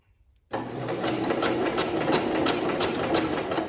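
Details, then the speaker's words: 1970 International Cub Cadet 127, sat 10+ years as a parts tractor: fast, even cranking with no firing or catch, and no spark. Owner suspects a bad spark plug or a dead coil and tries a different plug. "We get no spark. So we either have us a bad spark plug."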